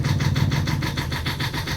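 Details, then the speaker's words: Boat inboard engine after rewiring, started in neutral and settling into steady, even firing with no misses or knocks. Warning lights are out and it is charging; normal idle. "So let's just stick that in neutral and crank it over. So that's good."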